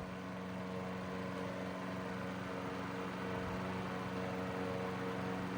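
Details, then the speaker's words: 1941 Gilbert 12-inch fan on low, drawing 0.51 A: even, low motor hum with a smooth rush of air and no rattles or scraping; normal running. "And there's no strange noises to this. It actually sounds like a machine, not some piece of junk."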